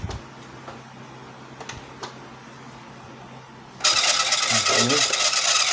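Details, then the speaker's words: Epson L110 printer at power-on: quiet, then a loud hissing whir as the paper feed roller keeps spinning long while the head carriage stays still; power and paper lights blink together and a paper-jam warning appears when printing. "Suara roller yang panjang, ya. Sekarang, benda itu bergerak sedikit. Setelah itu, benda tersebut tetap diam."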